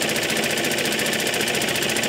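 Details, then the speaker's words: Suffolk Super Punch/Colt lawnmower, still quite cold, after basic maintenance: single-cylinder engine throttled up holds a strained, laboured note but the centrifugal clutch won't engage the drive; owner suspects something binding. "it just will not engage with that centrifugal clutch. But i can kind of hear the engines struggling, like it's got resistance."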